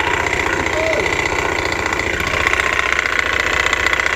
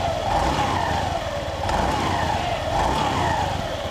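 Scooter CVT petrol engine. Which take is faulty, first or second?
first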